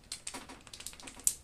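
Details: AR15 buffer (Schmeisser and another brand compared) shaken by hand in a quiet room: light, dry, irregular clicking from the internal weights. This rattle is normal, says nothing about rifle quality, and is the same on new and high-round-count buffers.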